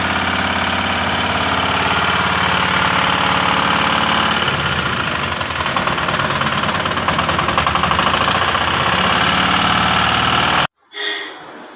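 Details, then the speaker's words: 2022 Piaggio Ape BS6 diesel at idle: heavy, rough knocking at about three to four a second; broken crankshaft thrust washer let the crank balancer touch the crank. "ഇത് crank trust wash പൊട്ടി വീണാണ് ഇതിൻ്റെ complaint. പിന്നെ noise കേട്ടോണ്ടിരുന്ന ഇതാണ്."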